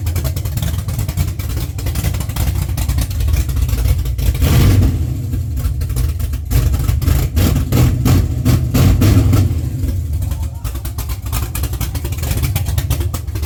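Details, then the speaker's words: First start of an LS-swapped Chevrolet C10 after sitting 3 years, wired with a Holley Terminator X: deep V8 burble idles evenly, sharp revs climb and drop back cleanly to steady idle; normal running and revving. "Huh? You revved up. Y'all sitting the pedal."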